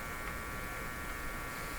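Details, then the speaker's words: GE 913-D tube clock radio during Bluetooth hum troubleshooting, amplifier feed left as an open wire ending inside the chassis: steady electrical buzz underneath, unchanging; the open wire is picking up the noise. "What I'm saying is the feed to the amplifier is an open wire right now, just ending inside here. That open wire is picking up this noise we're hearing"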